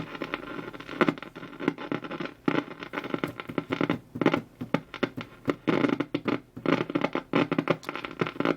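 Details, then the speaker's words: Old RCA radio on a variac isolation transformer, about 93.5 volts drawing 0.19 A, tuned around the 1390 local station: irregular scratchy crackles and sharp pops in uneven bursts with no station reception; cause not yet found. "I do have it plugged into isolation as the my bariac is an isolation Transformer definitely no stations just the crackling and the popping"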